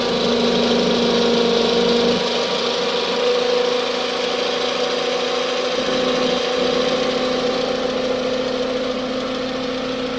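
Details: 2006 Toyota Camry petrol engine: a steady high whine like a supercharger over the idle, rising and falling sharply with each rev.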